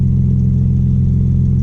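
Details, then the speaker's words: Audi B5 S4 warming up from cold after new 3 bar MAP sensor and tune flash, known bad exhaust leak underneath. Deep, steady, even low idle rumble with no knocks or misses; normal idle. "ngine warms up. It's still cold. But yeah, it seems to rev normal."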